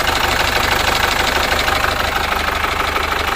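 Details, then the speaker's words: Chevrolet Captiva Diesel FL, around 2012–2013, fouled by Biosolar fuel; mechanic suspects fuel line problem, engine shakes hard, sounds rough, black smoke: regular knocking about three per second over a harsh, shaking idle. "Namun sekilas, tampaknya masalahnya ada pada saluran bahan bakar. Mesinnya bergetar sangat hebat. Bunyinya kasar dan juga mengeluarkan asap hitam."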